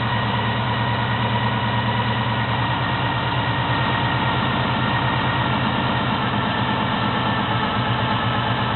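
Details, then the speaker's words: 1972 Chevy Monte Carlo small-block 350 V8 on first start after a FiTech Go EFI install: cold engine idling slightly fast but steady and even with no misses, before the self-learning system brings rpm down. "system I in a little high but the engine still cold this is the first start the engine is still"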